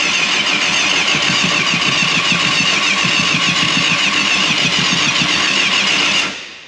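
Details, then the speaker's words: 1989 Yamaha FZR600 Genesis, unstarted over 4 years, starting spray put into the intake tubes: starter cranks evenly about four pulses a second for six seconds with no firing. Cranks but won't start, though the spray helped slightly. "still nothing it actually did make a little bit of a difference but one revolution tried starting but we're getting closer"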